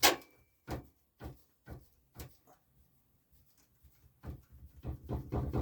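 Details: 2005 Chevy Express, checked during a tire swap after new front shocks: a worn sway bar bushing with excessive play, levered with a pry bar, gives dull clunks about every half second, then a quicker rattle, reproducing the over-bump clunk.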